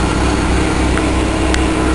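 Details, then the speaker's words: Buick Park Avenue after a muffler replacement, left idling to burn off deposits since it has barely run since purchase: a steady, even idle with a smooth low exhaust note and no rattles. Normal idle. "I think I'll let it run burn off some of this crap I haven't really run it since I got it"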